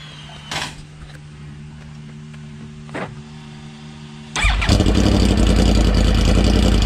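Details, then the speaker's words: Yamaha GYTR factory exhaust with only one exhaust fitted during shroud repacking: idle at a low, even thrum, then a revving burst comes out very loud and raspy; owner finds it too loud, cause not confirmed. "yeah I don't like that sound that's too loud"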